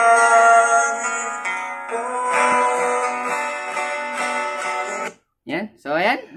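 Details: JBL Go Bluetooth speaker (orange) after repair of distorted "basag" sound: music plays clearly with clean guitar and vocals, no crackle or rattle at this volume; the speaker sounds healthy.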